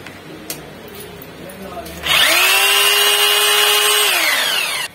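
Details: Bosch GBH 2-26 rotary hammer test run after replacing the coil and armature, which failed from overvoltage use: motor spins up quickly to a clean, steady whine, holds evenly without rattle or surging, then winds down smoothly. Healthy running after repair.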